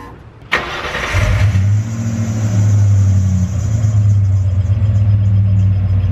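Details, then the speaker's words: Bronco that suddenly died with no start, power at a connector inconsistent; after cleaning the connection with electronics cleaner, brief crank then a deep steady idle with no stumbling; normal start and idle, fuel pump not the fault. "we're gonna see if it'll start and stay right hear that noise that's the noise we want to hear"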